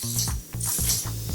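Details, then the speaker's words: Fantic dirt bike front wheel bearing, after 120 hours and 3 years of use, wheel spun by hand with axial play; rough ratcheting grind with regular clicks each turn, worn bearing needing replacement. "girare e inoltre avranno notato che appunto il cuscinetto è molto molto rumoroso quindi basta con le chiacchere."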